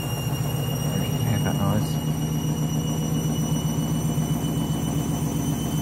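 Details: Candy washing machine, new clothes, final spin ramping up: low rumbling drone with uneven pulsing beat as drum spins up; strange noise, cause not confirmed.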